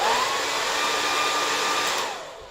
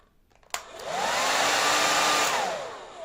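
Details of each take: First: Sembo hair dryer: a steady high fan whine that drops away as it shuts off, with thin airflow; with too little air intake the heating element reaches its maximum temperature and the dryer cuts itself off. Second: Sembo hair dryer, fault fixed during disassembly: a strong, steady rushing whoosh with a constant motor whine once up to speed, spinning down cleanly, carrying heat away from the heating element; normal airflow.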